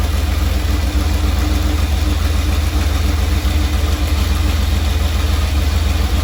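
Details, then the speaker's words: 1977 Dodge Ramcharger 440 V8 just started cold: a deep, lumpy idle pulsing three or four beats a second. Oil pressure is good and the alternator is charging. The owner suspects it just needs warming up. "we have good oil pressure obviously sounds like it's running a little rough I could use a good warming up"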